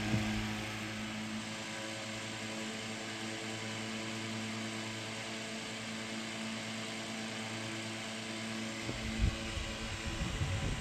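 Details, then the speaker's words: Restored c.1920 Frigid VA-1 10-inch fan turned up to high, commutator resurfaced and new brushes fitted, not yet broken in; steady, even motor hum without scraping, rattle or wobble; normal fan motor running on high. "I haven't run it much since uh resurfacing the commutator and getting the new brushes and all that so I probably need to actually run it a while to break it in but it is a very smooth run fan and turn it up to high"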